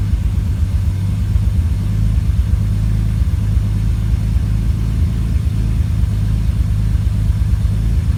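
Low idle rumble with an uneven, lumpy beat and occasional dropped pulses; the engine is misfiring at idle.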